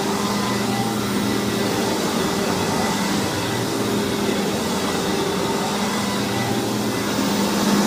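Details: Hoover WindTunnel vacuum test run after rebuild: loud, even roar with steady hum, no rattle, grind or speed dips; motor is known as loud on this model, runs healthy.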